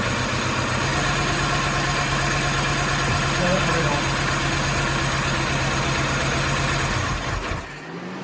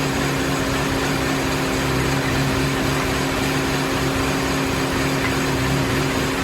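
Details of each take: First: Mini after head gasket and timing chain reassembly, first run on a chilly day: steady even idle with smooth regular beat, no knocks or misses, then drops quieter; engine runs healthy. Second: Mini after head gasket and timing chain replacement: steady idle with constant whooshing radiator fan roar from start-up, low even hum; fan kicks on immediately and car throws P0128 coolant temperature too low, same fault as before teardown, coolant temp reading suspected.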